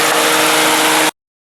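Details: 2005 Toyota Matrix radiator cooling fan after replacing the noisy, vibrating fan motor that had play, engine running with AC on: strong, even rush of air for about a second, then a clean cut-off; no scraping or buzzing, fan healthy.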